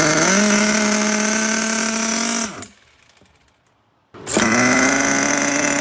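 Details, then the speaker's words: HPI Savage 21 nitro RC truck restarted on factory carburetor settings with the fuel pump hose disconnected: a high buzz climbs, cuts briefly, refires and revs cleanly as rpm rises; running properly. "The fuel pump hose was disconnected. We could hear the RPMs kind of raise up."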